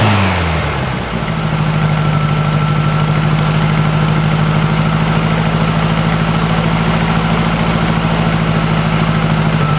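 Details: 1956 VW Beetle air-cooled flat-four, cold, just swapped from bad Weber 34 ICT to a stock Solex 34 PICT 3 carburetor: starter crank, catches, then steady, even, quiet idle with no ticking or puffing; healthy, still needs some adjustment.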